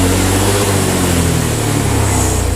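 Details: Honda Vario 125 injection scooter, normal idle but slight throttle delay: the note holds and then sags instead of climbing as the throttle opens gently, with revs dropping around 20 km/h; hesitation blamed on throttle being too light.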